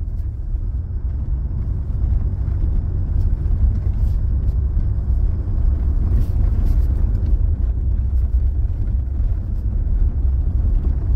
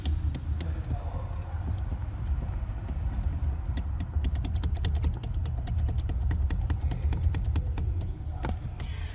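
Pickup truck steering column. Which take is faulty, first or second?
second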